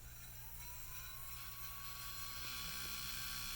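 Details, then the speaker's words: IBM ThinkPad 570 CPU cooling fan, dirty and cobwebbed, blown out with compressed air, bench test: thin whine climbing as it spins up with a rough buzzing edge; it spins but sounds really bad. "I just want to plug it in and see if it'll spin so you know I've got the bare minimum stuff in place here just so the CPU doesn't cook oh yeah it spins oh it sounds really bad"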